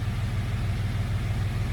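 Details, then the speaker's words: Jeep after a bolt that fell into the intake and held cylinder 3's intake valve open was removed: steady, smooth idle at 750 rpm with no stumbles or knocks, startup smoother than before. "Oh my god, she sounds perfect. Dude, the startup is nicer than it was before. It doesn't idle. It doesn't start up mean."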